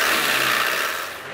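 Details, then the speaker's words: Land Rover Defender 300Tdi diesel, 140,000 miles, running: hissing rush of escaping air fading after a second; failed inlet manifold gasket leaking boost pressure. "okay so if you listen here you'll be able to hear air pressure coming through the inlet gasket which has failed"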